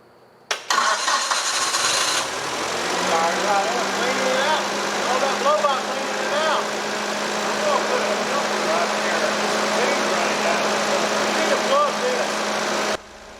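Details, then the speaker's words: Old TCM forklift engine, formerly non-running with suspected stuck rings and blow-by, restarting once the crankcase vent tube is unhooked from the intake: fires within half a second, steady even idle, starts and runs fine. "i determined that if we unhooked the crankcase vent tube from the intake it would crank up start and run great"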